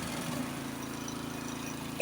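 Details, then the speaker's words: Honda snowblower pre-storm check, engine running with augers turning: steady, even engine hum with light auger churn; everything running normally. "Want to make sure the augers are working. You can hear them working."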